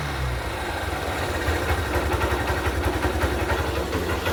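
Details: Honda Shine 125 BS4 single-cylinder after compressor (compression) repair with new valves and guide: steady even putter with slight rev lift, no knocks or rattles; healthy.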